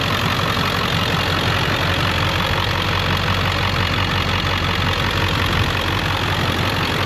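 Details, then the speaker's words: 2001 Ford Excursion Limited 7.3L Powerstroke diesel 4WD, 142k miles, warm, heard under the hood, freshly serviced with coolant flush, filters, transmission service, new batteries: loud, even diesel clatter at steady idle with no irregular knocks or misses; normal diesel idle. "But anyway, all right, let me show you underneath the hood, let you hear it run."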